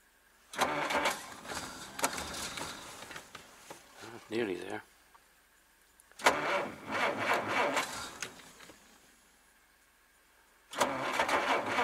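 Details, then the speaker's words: Old car in snow, cold, fired once then cranked repeatedly with pumping: slow dragging cranking bursts with pauses, never catches; owner blames cold, fears flooding it and running the battery down; cranks but won't start. "well the cold has got to this car but we'll end up actually flooding it now and running the battery down"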